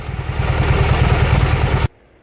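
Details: Junkyard Briggs & Stratton opposed twin; steady even low thumping with no misses or knocks, then a clean shutdown; normal healthy running.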